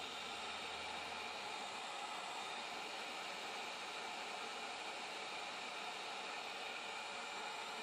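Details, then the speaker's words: DIY 1.3 kW solar PV (four 320 W panels, about 104 V, 8.24 A) directly powering a 240 V 4500 W water heater element: steady harsh hiss as DC arcs across thermostat contacts, blue arc visible, unable to shut off. "So you can hear it's arcing, and see the blue arc in there, but it's not shutting off. It's just unable to shut off."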